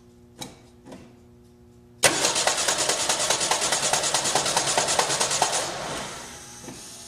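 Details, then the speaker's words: 1986 Ford Ranger cranking: rough pulses about two a second for three seconds, engine never catches and fades out; starter not kicking in properly, diagnosed bad starter, to be replaced. "well at that rate there's not a question in my mind that we got a bad starter so you guys could hear that noise it wasn't kicking in right"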